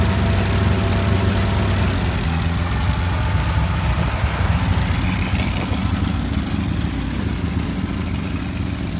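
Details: 1949 Ford 8N tractor, engine freshly rebuilt over 10 weeks, test run; even, steady low-pitched engine beat with no knocks or misses; normal running.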